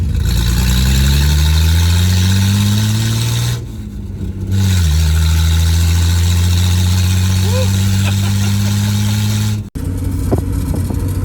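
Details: Nissan 240Z with junkyard replacement engine, driving in 4th gear at about 1500 rpm: strong steady drone climbing smoothly with road speed, brief dip at a gear change, then even pull; oil pressure very low and smoke through the floor. Normal running.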